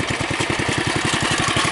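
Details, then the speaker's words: Bolens Husky 600 tractor with newer carburetor and elbow exhaust pipe, briefly choked then started: steady, even chuffing idle, about a dozen soft pulses a second, no knocks or misses; significantly quieter than before. "you can hear it's significantly quieter than it was before."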